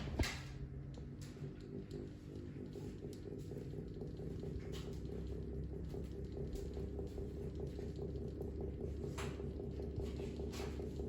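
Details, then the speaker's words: 1950s Frost 12-inch desk fan, needs cleaning, running on low to medium: steady motor hum with light irregular ticking rattle from loose centre cap chattering against hub. "Yeah, it's not happy. Medium. The rattle is coming from that little center cap is loose."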